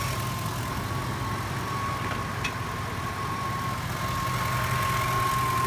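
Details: Steady high-pitched whistle over an even idle; power steering pulley wobbles but the fault is alternator bearings, which feel fine by hand yet whine under load.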